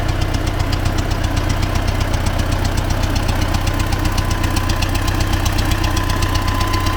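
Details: T-40AM tractor diesel idling in about -14°C after a month standing, warming up before a test of the differential lock; regular knock about twice a second over the low rumble, engine knock, cause suspected but not confirmed.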